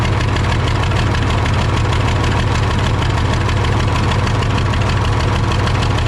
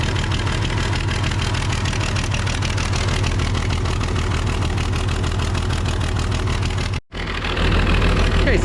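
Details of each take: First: Case 855D loader 12-valve 5.9L Cummins diesel with misfire, power loss and overheating, number one injector line cracked open: loud, rough idle with heavy rhythmic clatter, only slight performance drop; owner suspects number one injector is the bad one. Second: Case 855D loader, 12-valve 5.9L Cummins diesel at idle after the bad injector was fixed: steady, even chug and deep rumble with no knocks or misses; normal idle.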